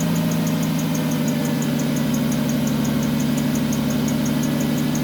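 A steady chirping squeal pulses over an even idle right after start-up, typical of a slipping accessory belt or tensioner. Cause suspected, not confirmed.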